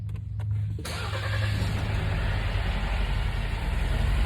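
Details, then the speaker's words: 2020 Jeep Wrangler JLU 2.0L gas turbo from an impound lot, had sitting water, control arms broken. Brief crank, quick catch, then steady low idle with no knocks, misses or rattles; starts and runs healthy. "2.0 gas turbo runs like a champ"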